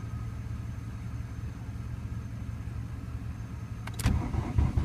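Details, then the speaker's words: 1991 VW Jetta turbo diesel, hard to start, being boosted from a Caprice: low uneven cranking drone with engine hum behind, no clean catch yet; hard starting. "okay well I'm still trying to start this car I really don't know if she's gonna go today"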